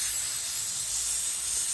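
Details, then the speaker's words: BMW E36 with LS swap (6.0L LQ4, BorgWarner 72 mm turbo), engine off, homemade boost leak test: constant airy high hiss from the blow-off valve; O-ring not seated, fixed by reseating it. "as soon as i put it on i can already hear something over here it's actually coming from the blow-off valve"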